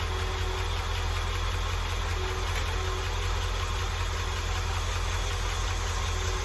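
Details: International truck being troubleshot for an engine noise, started with a cover off underneath: at idle a light tick repeats about two to three times a second over the low rumble; sounds like a valve train tick, cause not confirmed.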